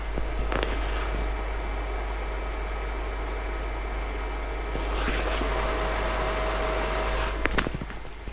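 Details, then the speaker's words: OWON XDM3051 bench multimeter, microphone at the rear: constant mid-pitched whirring hum from the internal cooling fan. Not horrendous, but louder than wanted; the fan is to be modified. "it's not horrendously loud, but it is louder than you really want from a bench multimeter, so I will be modifying that."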